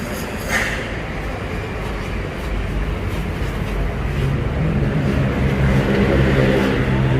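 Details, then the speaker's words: 2012 Toyota Vios G automatic with push-button start and upgraded exhaust: brief starter whirr, catches at once, then a deep, steady, slightly louder exhaust note at idle; healthy start and idle. "Nah, di bagian interiornya ya, ini sudah engine start stop ya, Pak. Nah, itu suara starternya, dan knalpot sudah di-upgrade ya, Pak ya?"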